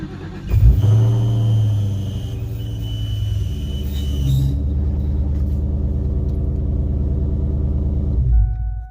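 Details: 2003–04 Ford Mustang SVT Cobra starting and idling with a high, thin whirring tone over the engine rumble from a worn clutch throwout (release) bearing, recorded before the car was torn down and rebuilt.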